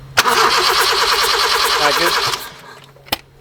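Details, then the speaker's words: Honda EK Civic four-cylinder before its turbo kit install, compression test with one spark plug's end nearly stripped: steady, even cranking, no weak strokes; about 180 on each, all cylinders reading the same, normal. "that's amazing all cylinders are sitting the same"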